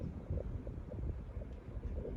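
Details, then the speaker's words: Air conditioning after a compressor replacement and refill. A steady low whoosh of air from the vent, with no rattles, squeals or cycling, and it keeps the room cold. Normal vent airflow after the repair. "But yeah, it's blowing really good. It's keeping this whole room cold."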